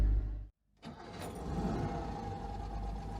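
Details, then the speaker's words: Citroen 2CV with a replacement engine, back on the road after months off, started ahead of its MOT: cranks briefly, pauses, then catches cleanly into a steady, even low putter; healthy start and idle. "oh yeah this is such a sweet engine"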